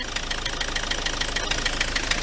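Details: Ford Transit MK7 2.4 RWD diesel van at idle: sharp tapping six or seven times a second over the idle; pulleys not loose; owner notes a cable tie on an injector connector and suspects the dual mass flywheel, unconfirmed.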